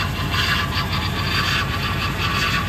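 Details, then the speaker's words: Ford F150 with rebuilt 2002 Lincoln Navigator 4V 5.4 V8 swapped in, first start after install: a harsh, rough whine over the V8 idle from the power steering pump starved of fluid; it quietened after fluid was topped up. "oh is that the power steering pump maybe that's what that is they just sucked down all the fluid"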